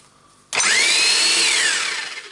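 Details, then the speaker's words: Hilti TE905-AVR demolition hammer with a damaged cord and a wobbly tool holder. It spins up with a high whining roar, holds about a second, then stops on its own while the service light flashes. Intermittent cut-out; an electrical fault is suspected, not confirmed. "yeah it runs and it stops yeah and the service light is on when it stops"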